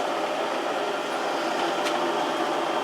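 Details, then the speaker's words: 1 horsepower heavy-duty drill press with new bearings after handle hub repair: steady, even whir with no knocking, grinding or squeal under power; normal running. "everything is everything is Ticky and uh turn it on got new bearings in there really"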